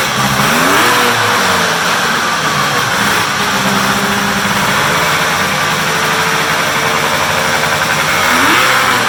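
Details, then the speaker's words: Polaris big triple muscle snowmobile, cold start after sitting in the shop, run on a stand with hood closed; crisp buzzy running with clean throttle blips and a steady idle between. Healthy engine. "I said these were all cold starts and they've been sitting in the shop so"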